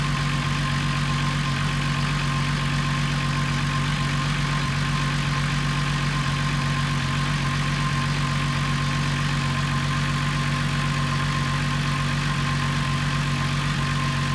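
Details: Corrado at idle: steady low hum with a slightly uneven pulse, about two and a half beats a second; idle jumps up and runs rich, cause unclear.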